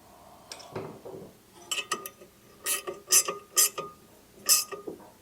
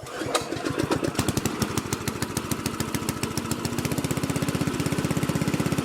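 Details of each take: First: Predator engine being swapped into a trash-found Lesko walk-behind leaf blower, turned slowly by hand: sharp scraping tick about once a turn as the flywheel rubs a housing rivet; pulling the flywheel out slightly stops the noise. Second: Curb-find Lesko walk-behind leaf blower swapped to a Predator engine: catches after a cough and settles into a quick, even putter of about four beats a second, no knocks; runs healthy.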